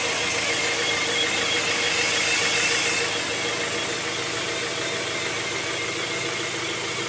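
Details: 1997 Honda Prelude SH: thin, steady high-pitched whine from the transmission at idle, even pitch; unlike an earlier bad throw-out bearing, cause unknown; transmission whine.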